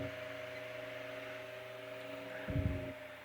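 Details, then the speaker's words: Restored GE brass blade fan AOU 75423 at about 124 V, above its rating, drawing about 76.5 W: a quiet steady low hum with faint even whir and a brief thump near the end; runs fine. "okay so that's way above what it's rated and it's running fine running good"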